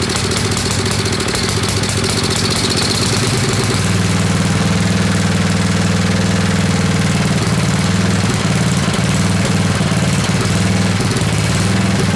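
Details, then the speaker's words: Old Craftsman 10hp Tecumseh riding mower, water-damaged engine just rebuilt, cold run-in on choke with fuel poured in: chugs unevenly about four beats a second with odd irregular pops; rough running with backfiring, cause not yet found. "all right we're getting a little bit of backfiring um not sure what that's coming from we need to get heat into the motor so we need to really even if it's running like crap it seems to be suck and Fuel"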